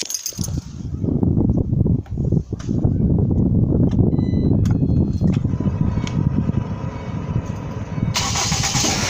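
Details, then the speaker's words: Ford Transit Connect just after an engine install, cranked and started: rough idle with uneven metallic rattle from loose brackets (front end not yet reassembled) and hiss; power steering not yet bled. "Now don't mind some of those rattling noises. We don't have the front end back on this thing all the way yet, so there's a few brackets and stuff that are rattling."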